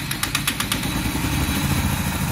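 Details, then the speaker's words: Honda Cargo 150 after a top-end repair that fixed play in a worn rocker-area part, with the tensioner refitted and valve clearance not yet set: a few light ticks, then a steady even single-cylinder idle with no clatter; the noise is gone. "bueno tendré que echarle gasolina pero como pueden escuchar pues ya no tienen ruido"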